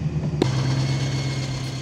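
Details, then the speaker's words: BMW E92 M3 S65 V8, sat for years, started with new battery only: rough idle with uneven low rumble and faint steady whine, horrific noise; cause not confirmed, rod bearings (known failure point) replaced as precaution. "the car had been sitting for years when I got it and really all it took was a new battery to get it running but it was making a horrific noise doesn't sound"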